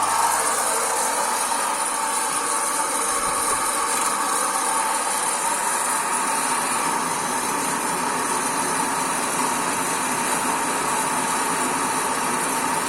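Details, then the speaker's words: Kaffelogic home coffee roaster starting an 80 g roast with the chaff collector fitted and an extractor hood on: a steady, even whir and constant high hiss, no knocks or rattles. Running normally; the roast is expected to take about 6 minutes plus a 3–4 minute cool-down. "So to start the roast, we just press the play button and you'll hear it start. And of course the timer goes as well."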